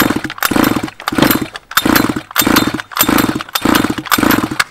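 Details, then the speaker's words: Flooded Baja two-stroke with the spark plug removed: seven even pull-start cranking bursts, about one every 0.7 seconds, with no firing, blowing excess fuel out before the plug is refitted. "so what's happening here is we're sending all the fuel down to the head and as we pull it it's this all the pressure is this blown all out all the fuel out"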